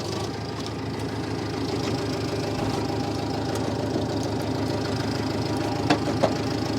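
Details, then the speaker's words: Massey Ferguson MF711 hydrostatic skid loader after sitting 20–25 years, magneto rebuilt and carburetor rebuilt: small petrol engine runs steady with a light, slightly knocky diesel-like beat but good throttle response; normal running. "we got this old girl going again kind of sounds like a little diesel it's a little niky but uh good throttle response"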